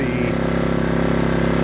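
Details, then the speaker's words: New Power Smart 3800 W dual-fuel inverter generator on its first break-in run, idling with no load and the eco idle control off: steady, even hum with a smooth low pulse and no knocks or surging, a normal quiet idle. "uh idle control on the echo to make it quieter. So, folks, that's pretty impressive how quiet it is."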